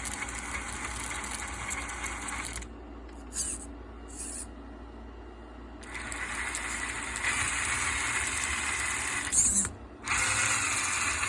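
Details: Axial SCX10 RC crawler: small electric motor whirring with a light rattle and high squeak coming and going as it moves; caused by loose screws, fixed by tightening them and applying WD-40 for the squeak.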